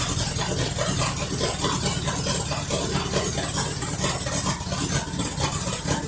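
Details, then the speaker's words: 1973 Mercury Cougar XR7 with a 351 Cleveland two-barrel, being checked for oil pressure issues. Run on a fuel mix after flushing, getting a little warm. Steady, even V8 idle with a soft tappety patter and no stumbles or knocks; it runs and sounds much better than before. "definitely it runs and sounds a whole lot better than what it used to so I'm glad that I put that all in there to kind of flush it out"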